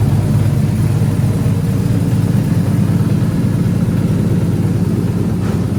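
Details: Turbo LS3-swapped Nissan 240SX after new head gasket, head bolts and exhaust manifold gasket, torqued to spec and oil changed, started to check whether a noise remains: steady, even low rumble, no knock, tick or hiss; sounds healthy.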